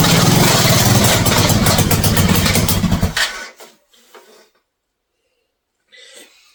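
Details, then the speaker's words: Mini bike engine on first start after wiring, bike moved across the shop: loud uneven popping that runs raggedly for about three seconds then cuts out abruptly; rough running and stalling, not sounding well, cause unclear; chain found too loose afterward. "so I moved I did move that was not sounding very well"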